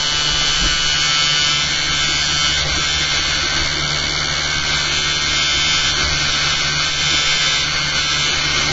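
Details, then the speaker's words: Motor-driven rig with soft starter, after fitting new eccentric bobbin and magnet holder, run without cores: steady high buzzy rattle, constant speed; something vibrating, source not pinned down, later fixed. "just going to start it again without these cores in to see if the rattling's disappeared."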